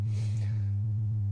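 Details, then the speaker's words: Modular synth sine oscillator shows distortion only when all modules on the flying bus boards are powered; a low steady tone carries a fast regular warble of about seven pulses a second, and unplugging modules in sequence changes it. "so let's go back to the sort of original problem which is that this Al this uh Distortion only happens when I have all the modules powered"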